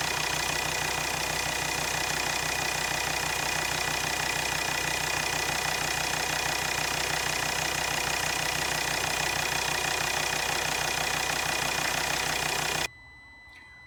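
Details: Volvo XC60 D5 diesel (possibly Euro 4) at idle. Fast, even ticking runs through it at about three clicks a second. Two injectors measured around 0.3 ohms, below the roughly 0.4–0.5 minimum, pointing to worn injectors.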